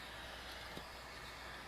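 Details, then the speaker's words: Refurbished Coleman 202 Professional lantern: faint steady hiss with no surge or roar; weak fuel flow, obstruction in the generator suspected. "obstruction in here because I'm not getting really strong flow out of it. I mean, it's going, but it's not real strong. And normally you'd see, you'd hear it a little stronger."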